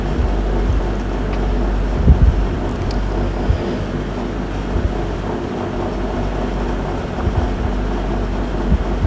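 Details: 2019 GMC with check-engine light and P0300 multi-cylinder misfire code: rough, uneven idle with irregular low thumps and dips that won't hold steady, engine misfiring; live data per cylinder being checked.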